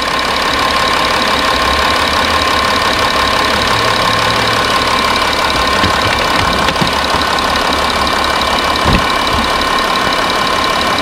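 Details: 2012 Audi Q7 diesel idling just after a flush and fresh oil change: loud, steady clatter settles into an even idle with no misses or knocks beyond normal injector tick; engine runs healthy.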